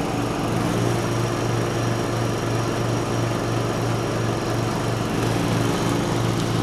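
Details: 1989 John Deere RX75 small riding mower mowing thick grass: a steady, even single-cylinder drone as the blades pull through the grass, with no knocks or surging. The deck may be cutting a little low and throws grass everywhere; it is running normally under load.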